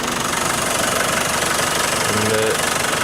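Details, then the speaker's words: Range Rover Classic 200 diesel, new cam belt and water pump, in neutral: fires on half a crank into typical diesel clatter at steady idle with a quick blip, no heavy knock or miss; smooth and healthy. "Again, like any 200, fires on half a crank,"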